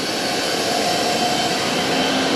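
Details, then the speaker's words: Spindle of a used 1996 Fidal 4020 vertical machining center at speed 3,000 after the belts shifted into high gear: a smooth, even high whir with no grinding or knocking, running healthy. "Let's see, speed 3,000, that should kick it into high gear. Those belts up there should switch over. They did. Oh yeah, nice."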